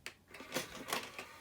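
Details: 2001 Sony CMT-CP300 three-CD changer after loading belt replacement; brief clicks and light mechanical whir as the drawer opens without slipping, normal noisy tray operation.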